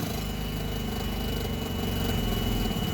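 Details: Nissan forklift, K21 engine on LPG with replaced regulator, starts and dies with no acceleration, no codes: catches and idles low and uneven, loping and sagging; faulty mass airflow sensor causing weak idle.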